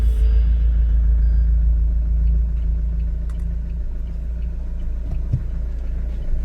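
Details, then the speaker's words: 2015 Mahindra XUV500 W10 diesel, push-button start after sitting three months unused; deep even rumble settling into steady idle, no knocks or misses; normal cold start and idle. "Start ஆயிடுச்சு. சவுண்ட பாத்தீங்களா"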